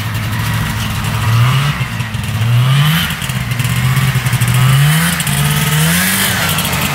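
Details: Arctic Cat Panther 440cc two-stroke snowmobile, bought as no-spark non-runner, on test drive after fix: repeated revs rising cleanly and settling back, no misses, still smoking; running really good.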